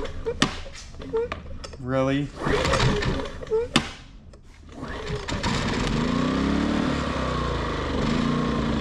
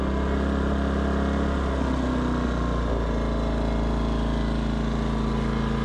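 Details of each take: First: Westinghouse iGen 2500 generator after no-start: engine idles but pitch rises and falls every second or two; idle surging. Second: Westinghouse iGen 2500 inverter generator, which previously would not start and then surged at idle, after being cleaned up and fixed. Started on choke, it holds a steady, even drone with no surging or missed beats; running smoothly.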